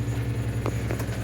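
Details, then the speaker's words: 1986 Toyota Sunrader motorhome water pump after PEX leak repair, pressurizing system: steady low electric hum, even drone, no rattle or surging; pump healthy. "let's put some water in this thing see if it holds pressure okay got the pump on"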